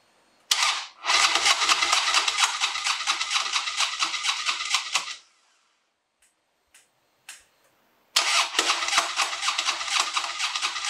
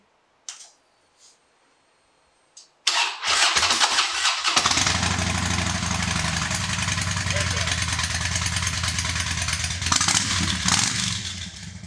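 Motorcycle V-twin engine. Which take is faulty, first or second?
first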